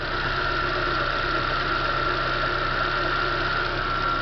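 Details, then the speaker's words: 2010 Chevrolet Corsa Classic after replacing a noisy water pump, the scraping timing belt tensioner and both belts: smooth, even idle with no ticks or scraping, silent for 21 minutes. Normal idle after repair. "montei tudo está funcionando que já faz um 21 minutos em silêncio sem nenhum barulho"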